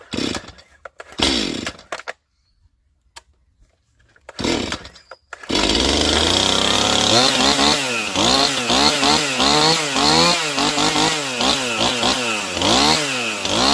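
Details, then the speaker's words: Stihl MS180 C chainsaw that bogged only when cold, low-speed screw opened about 1/8 turn more: started cold, it snaps cleanly to a high scream on each blip with no hesitation; now accelerates instantly. "that's running perfect I mean it's not even warmed up and when you pull the trigger it accelerates instantly"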